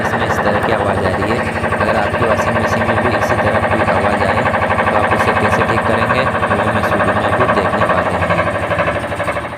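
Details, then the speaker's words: LG top-load fully automatic washing machine, normal in wash but loud rapid knocking about 2–3 a second during spin; drum and suspension springs checked fine. "जब spin करते हैं हम तो इसमें cut cut बहुत ज्यादा ए जाति है और वाश में अपनी नॉर्मल चलती है"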